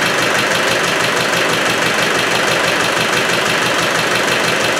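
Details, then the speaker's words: Freshly installed, rebored Land Rover 110 diesel at idle: an uneven chopping beat about twice a second over a harsh clatter. It has too much back pressure, the breather pushes oil and it smokes; owner suspects a broken ring, unconfirmed. "but there's something at the back you can't quite put the finger on it but there's something worse it's got too much back pressure"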